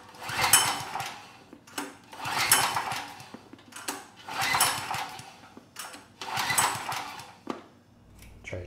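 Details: PowerStroke 6000 W generator, about 12 years old, stored outside with rusted debris-filled tank; fuel and ignition on; rhythmic recoil pulls, engine turns but never catches; no-start from water-contaminated fuel in carburetor bowl, runs on starting fluid.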